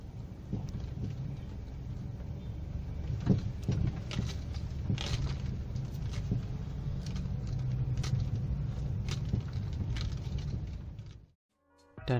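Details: 2007 Kia Picanto driving over bumps, louder on left side: irregular dull clunks every second or so over road rumble; worn stabilizer bar bushings, replaced on both sides.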